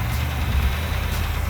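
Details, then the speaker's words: Restored Plymouth Cuda V8 at idle: deep lumpy idle with light quick tapping on top; valve train tapping, owners hope lifters that will pump up rather than a bottom-end problem. "Hopefully it's the lifters and they bump up."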